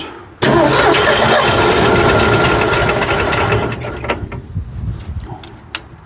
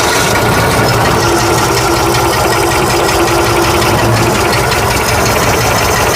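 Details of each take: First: 1965 Ford F100 240 six-cylinder with newly replaced carburetor, starting on choke; catches, runs unevenly a few seconds, then stumbles and dies; owner wonders if it needs choke, carburetor needs adjusting, cause unconfirmed. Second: 1965 Ford F100 240 six after carburetor replacement, oil change and radiator top-off: an even, unbroken idle with a steady low pulse and no misses or stumbles. The engine idles cleanly.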